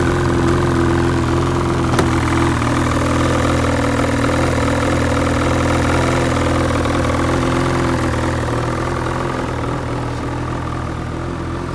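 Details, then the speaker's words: 2012 Ski-Doo MXZ 800R with Rotax E-TEC two-stroke direct-injection engine, replaced under recall, about 3,769 miles: steady, even idle with a smooth, unchanging beat and no knocks or misses; the engine sounds healthy. "So, runs well, looks good. We just pull this cover off and show you it running."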